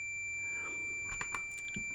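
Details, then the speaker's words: Multimeter continuity beep test on decade box at 20–30 ohms: constant unbroken high tone; meter keeps beeping through 70 ohms, so a beep doesn't prove an automotive fuse good. "30 ohms, still beeping. 40 ohms, still beeping."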